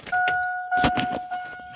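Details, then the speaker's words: Chevy 3500 8.1 barn find, new fuel pump and gauge assembly hanging outside the tank, key on: steady mid-pitched buzz under a few knocks and clicks; pump runs, normal priming buzz. "yep don't want to dry it out but I did hear it so that means it was the pump it's pump turned on that's good"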